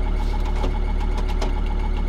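Quick, regular light ticking rides over a steady diesel idle and keeps pace with engine speed; the source isn't clear from sound alone. Cause suspected, not confirmed.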